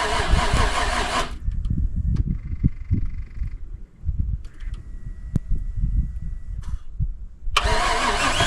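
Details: Buggy's cold start after sitting about 3 months following an overnight swamp burial, jump-started after bad-battery trouble: cranking bursts, then it catches into a rough, uneven low cold idle; starts and runs fine, though a tune-up is planned.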